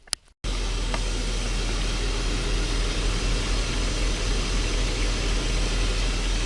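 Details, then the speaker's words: Engine started after repair: after a brief click it settles into a steady, even idle with no unpleasant bearing rumble or rattle; smooth, healthy normal idle. "c'est quand même agréable quand le moteur il ne fait aucun bruit et bien sûr il fait du bruit parce que c'est un moteur mais taipei pas de bruit désagréable de roulement de choses comme ça"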